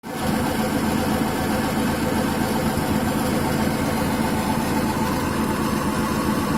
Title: Гудит ступичный подшипник